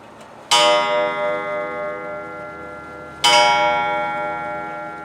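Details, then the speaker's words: Free German clock being restored, which ran only when tilted: two long ringing gong strikes about three seconds apart at the half hour, where one is expected; the strike is out of step with the hands. "That's a [music] lovely sound, huh? It's off strike, right? It's a half hour, right?"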